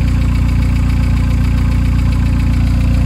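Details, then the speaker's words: Car with almost 300,000 km and no inspections, left standing: steady, even low idle with regular pulse around 146 per minute, no knocks or rattles; engine healthy. "der motor ist kerngesund nach knapp 300.000 kilometern"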